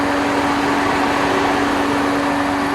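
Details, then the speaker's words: Hyundai Matrix whose two-speed radiator fans ran only at low speed, weakening the aircond; now modified to run high speed only: both fans give an even, steady rushing roar with constant hum and no rattle, running normally at full speed. "Dua-dua kipas. Ni kipas tengah bunyi"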